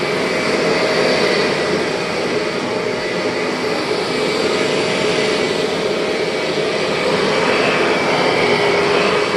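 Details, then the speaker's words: Refurbished 2001 Kirby G6 vacuum with new bearings and modified transmission gears and belt, trial run: steady even motor roar with no transmission whine, then wind-down; normal running. "Oh, love that wind down. And if you're wondering why this G6 doesn't have any transmission whine at all, go back into my video and you'll see that I made some modifications to the gears and the belt in there, so no more whine."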